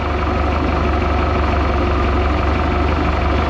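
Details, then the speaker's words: 1976 Mark Twain boat, Mercruiser 120hp (once stuck), idling during tune-up: steady, even low rumble with no misses, knocks or ticks; engine not vibrating or moving on its mounts, smooth normal idle. "well that's just that's just a smooth idling machine there I tell you he doesn't even move around on there it's not vibrating or nothing"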